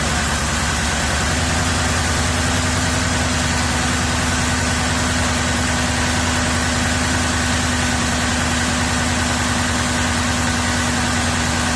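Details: 2007 Cadillac DTS started after water pump pulley work: loud idle with an uneven, stumbling pulse about two to three times a second, a misfire at idle; owner suspects a mildly blown head gasket, not confirmed.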